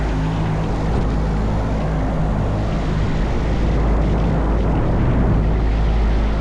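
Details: AAON rooftop unit 3-phase condenser fan motor: heavy low drone with a fast uneven rattle of about three or four knocks a second; the brittle broken rain shield (slinger) has dropped onto the motor housing and slaps it, mimicking bad bearings.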